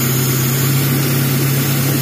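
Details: Suzuki Taruna EFI that came in misfiring and lacking power, no DTCs, idling steadily and lightly with an even low hum and no knocks or misses while idle is adjusted during tune-up; smooth idle.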